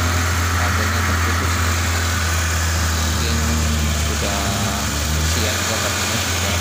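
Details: Peugeot 405 SRI after repairing a broken, burnt fuel pump wire that cut fuel supply and caused a no-start; even, steady idle with a smooth low hum and no misses or knocks. Normal idle.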